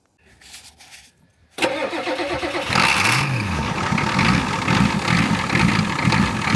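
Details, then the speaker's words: Old yellow farm truck: after arcing the starter with a big pry bar it cranks briefly, catches abruptly with a quick rev and settles into a loud, slightly uneven, heavily smoking idle. "yeah she's smoking smoking pretty good but hey if it's smoking it's running ain't it"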